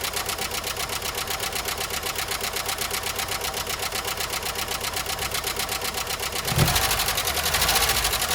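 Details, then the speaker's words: 1993 Jeep Wrangler YJ first start after years parked, before an oil change with 10W30, engine treatment and a new filter: fast, sharp constant ticking about four per second over the idle; owner suspects a dry top end; valvetrain ticking. "Alright, so you heard how bad it was ticking, so I went by my local O'Reilly's and got some 10W30."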